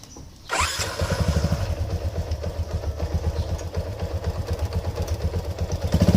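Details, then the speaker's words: Yamaha LC135 ES motorcycle engine after rebuild with the faulty bearing replaced, started while the clutch is pulled to check whether the earlier strange internal noise is gone. It catches straight away to an even putter of about four beats a second, no knocking or grinding; normal idle. "sekarang ni kita tinggal Coba bagi hidup dulu sambil kita tekan CL sama ada bunyi itu hilang ataucam mana Tapi ini memangir hilanglah sebab kita buka memang bearing bermasalah"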